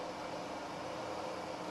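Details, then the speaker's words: Milling machine with quill power feed engaged, quill moving down under feed: even, steady mechanical whir with no knocks or grinding. Quill power feed running normally. "now if you look here you can see that the quill is now moving down to control the depth of penetration say of a drill or the travel of the quill"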